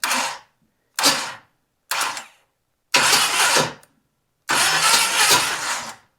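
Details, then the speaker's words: 1976 Camaro Rally Sport GM 350, sat 30 years, cranked without fuel: five harsh scraping grinding cranking bursts, no firing; owner suspects damaged flywheel teeth cause the sound. "we'll take a look underneath at the flywheel uh because we do have some messed up teeth and that may be uh causing this horrific sound that we've got"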